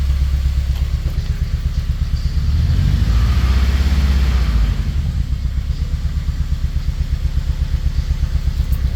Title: engine misfire or hurt